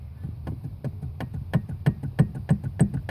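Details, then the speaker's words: 2005 Chevy Silverado 2500HD steering column, intermediate shaft disconnected and rocked by hand: repeated dull clunks about three a second from worn steering column bearing play; rattle over bumps and low-speed turns for about 10 years, intermediate shaft replacement didn't fix it. "And again, I just want to show you how much play is in this thing. This is a noise I've been dealing with for about 10 years."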